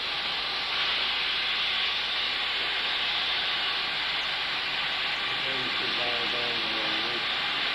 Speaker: You can hear it's under higher pressure at 10 lb.